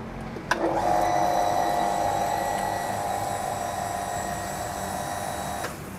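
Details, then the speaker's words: Shallow well water pump feeding a shower, without a pressure reducing valve: steady motor whine kicks in abruptly, holds about five seconds, then cuts off, making shower output surge and drop. Pump short cycling. "Nah, ada satu kendala yang mungkin kawan-kawan alami kalau pakai shower ya, terutama kalau untuk kawan-kawan yang memakai pompa sumur dangkal yang bunyinya cetak-cetok itu. Nah, akibat cetak-cetok atau nyala mati itu, maka shower ini pun keluarannya jadi nggak stabil ya."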